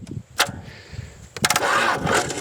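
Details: 1965 Dodge Dart 318 four-speed that sat for many years, with a failed ignition switch and a weak old battery: the engine cranks in uneven churning bursts but never catches; cause not pinned down, and it later ran after a battery swap.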